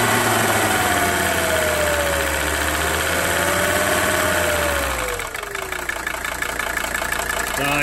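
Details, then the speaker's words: 1982 Mercedes 300SD turbo diesel, bought non-running, on fresh battery after fuel system work: clattering rough idle for about five seconds, then stalls; sounds like a normal diesel while running. "yeah keep running sounds all right about what no diesel sounds like"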